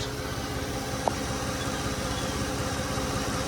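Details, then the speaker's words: 2005 Audi A8 W12 12-cylinder petrol engine idling smoothly and evenly with no knocks or misses; runs perfect, though the exhaust rattles a little and the check engine light is on, suspected to be failing catalytic converters. "6-liter V12. It is crammed in there. How in the hell could you do any work? And it runs perfect."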